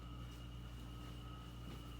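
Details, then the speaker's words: Hampton Bay Landmark ceiling fan, owner believes motor is blown: steady low electrical hum with faint thin whine and no blade swish; motor energized but won't start on its own, must be spun by hand. "I thought I shared this ceiling fan here it's not working properly turn it on the motor is not working well I can feel it just take a listen I mean all right that's off just watch it turn on and I have to manually spin it"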